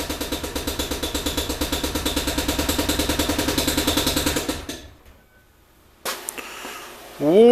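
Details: Ford Windstar minivan at idle with a broken connecting rod, before engine replacement: heavy, evenly spaced bangs, about ten a second, over a rough exhaust chuff; a possible exhaust leak is also noted; rod knock.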